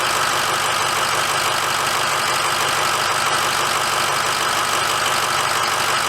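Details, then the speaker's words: 2006 Ford F350 diesel just after an oil and fuel filter change: a steady, even idle clatter with no misses or surging, idling normally. "okay let's start her up and let it run for a minute"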